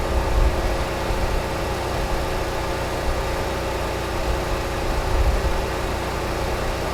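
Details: Repaired Generac 20 kW standby generator (model 0058871) that had stopped producing power, under a 6,000 W load: a steady, even engine drone and hum, no knocks or hunting; 120 V, 60 Hz; runs healthy.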